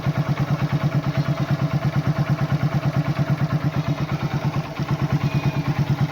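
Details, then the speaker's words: Old Hero Honda Super Splendor after oil change with 20W-40: steady even single-cylinder thump at idle, no ticking or clatter, no extra sound; smooth healthy normal idle. "একদম smooth, silent, টেপি থোৱা আৱাজ নাই।"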